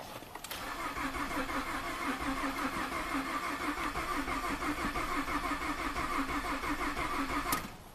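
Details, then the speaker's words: 2012 Ford F-150 EcoBoost direct injection, 220,000 miles, auction truck; starter cranks steadily about three beats a second for seven seconds, never catches; fuel pump stayed off, rail pressure desired 1500 actual none, code fuel rail pressure too low. "Okay. Fuel pump stayed off. So you can see the desired was 1500, actual nothing."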